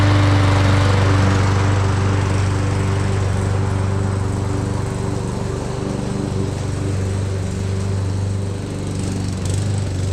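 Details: Push mower, oil checked and cover refitted, before a tune-up; its Champion RC12YX plug and dirty, oily air filter were still untouched, as the mower had been tipped the wrong way. Steady, firm low hum with no surging, knocks or misses; healthy.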